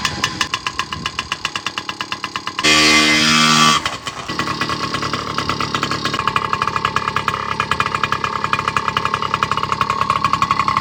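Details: Yamaha PW50 two-stroke after maintenance (oil filter, carb), started with enricher on: crackles into life, brief blip of revs, then settles to a busy, even buzzing idle; normal running.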